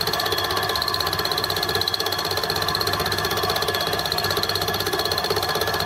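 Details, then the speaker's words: Home-built Gingery milling machine fly cutter finishing a primary cut; steady cutting buzz with a faint rub about four times a second, once per turn, as the back of the cutter touches the work. Cause suspected, not confirmed. "you can hear you're a slight noise on the back leg"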